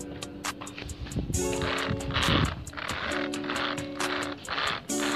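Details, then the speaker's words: Xinlehong 9125 RC car, stock, rear gearbox: dry crackling clicks about four per second over a motor whine rising in bursts; gears running dry, needing disassembly. "Nih ada bunyi kekrek. Nah, ini harus dibongkar dulu."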